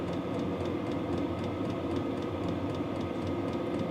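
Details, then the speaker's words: Vevor diesel heater warming up, outlet about 102–104°F and exhaust about 170°F: steady fan rush with a faint, even fuel-pump tick several times a second that gets faster as it heats; normal. "And you can hear the pump, it's going a little faster and faster."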